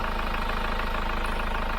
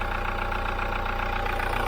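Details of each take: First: Hyundai iLoad diesel van with about 39,000 km, after the Liqui Moly intake decarbonising clean. Fully cold start: even, steady diesel clatter at a settled idle with no misses or knocks; normal cold diesel idle. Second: Hyundai iLoad diesel van, about 3 years old, 39,000 km, short city trips, noise meter held at oil filter before intake decarb clean; steady idle with crisp even ticking about four a second, tappety, noisier than new, cause unknown.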